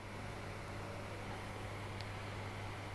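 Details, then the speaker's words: Graf Eco-Plus rainwater harvesting booster pump running at just over three bar while filling a toilet from the underground tank: quiet, steady low hum with no knocks, surges or rattles; normal pump operation. "the pump will then run and if we just watch the needle this time we'll see that the pump is running at just over three bar"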